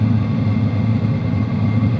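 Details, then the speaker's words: WIPPRO diesel heater running on power level 3, shotgun mic about 18 inches away, blowing hot air: a steady low roar of combustion and fan with the fuel pump ticking barely audible; normal running. "There's hot air coming out. You can hear the combustion, you can hear the fan, but you really can't hear any ticking."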